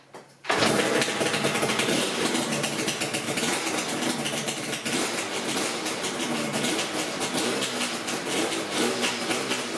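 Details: Yamaha RZ350 NC2 two-stroke project bike, restarted after lubricating the tachometer and speedometer mechanisms to cure a screeching tach. It runs with a crisp, buzzy crackle through idle and blips, the gauge squeal is gone, and it sounds healthy.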